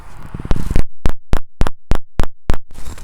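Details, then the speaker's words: Chevrolet Avalanche rear park-assist sensor, microphone held close with the truck in reverse during a service park assist fault: about eight sharp, even clicks, three to four a second; this sensor works normally. "You're going to hear them clicking, and you'll know they're functioning."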